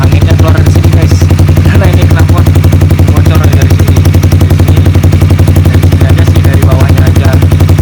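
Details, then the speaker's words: Honda CBR motorcycle at idle with its old, damaged silencer, worn from freestyle crashes. Loud low thumping pulses with a slightly airy, raspy edge from air escaping where it leaks in several places; not overly loud overall. "Kayak sedikit beser gimana gitu suaranya, kayak kata-kata beser gitu. Karena ini keuntungan angin keluar dari sini kan."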